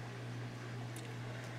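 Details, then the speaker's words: Teac Nostalgia GF180 turntable after removing the stylus protector that was lodged under the platter: only a soft, constant low motor hum with no scraping. The turntable now runs nice and quiet. "Well, now the turntable's running nice and quiet."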